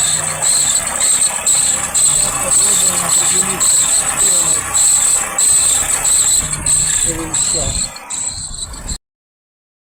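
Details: Petrol engine at idle: a shrill, cricket-like squeak about twice a second from a squeaking water pump.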